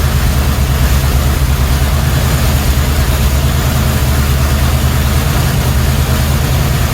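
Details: 1977 Chevrolet Cheyenne C10 350 4-barrel 165 HP: low, lumpy V8 idle with uneven beat as if one cylinder isn't pulling; new HEI ignition module or bad cam lobe suspected, cause unclear.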